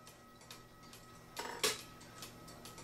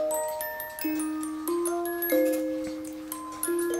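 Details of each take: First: Cuckoo clock with music box that hangs up at the 12 of the minute hand: quiet steady ticking, then a sudden jerky crunch as the stuck trigger snaps free and the music triggers; sticking music box trigger. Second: Cuckoo clock music box after trimming the plastic tube so it catches the hole at the fan (governor): tinkling tune plays out evenly, then halts cleanly. Music box stops correctly after repair.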